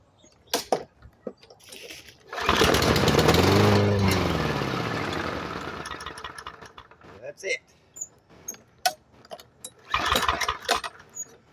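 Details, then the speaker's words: Discarded MTD 139cc OHV push mower with water in fuel: fires after priming, runs rough about three seconds, then fades and dies; carburetor issues. "okay well clearly we got some carburetor issues so let's tear into it"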